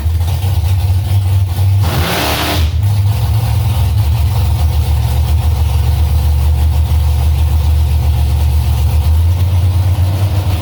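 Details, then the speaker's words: Carbureted V8 drag car being tested after carburetor adjustments meant to cure a stumble when staging. After a throttle blip and flashing the torque converter, the deep burble hangs fast while warming up: high idle. Owner plans half a turn out on all four corners. "after i flashed the converter those few times got out the throttle it wanted to idle really high so it's warming up now idle's coming up"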